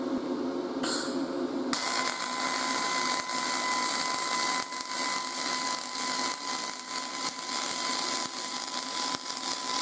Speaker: when i'm welding on this you'll hear that hissing sound it's going to sound like a high-pitched hiss it's not going to sound like that typical frying bacon sound when you're doing a short circuit mig